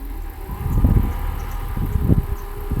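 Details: Mercedes W126 300SE with M103 six-cylinder, converted to an aftermarket ECU (rail pressurized first, then start prompted from the ECU): engine fires and settles into a low, even rumble with no misses or knocks, a normal start and idle.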